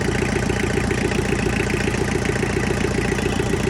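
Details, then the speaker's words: Tractor diesel, pulled from a pasture with dead battery, after bleeding air and tightening injectors, fuel filter still needing replacement: steady even clatter at idle with no misses or stumbles; engine idling smoothly. "Idle started to smooth up, and here we are. Injectors are all tight, and it's running."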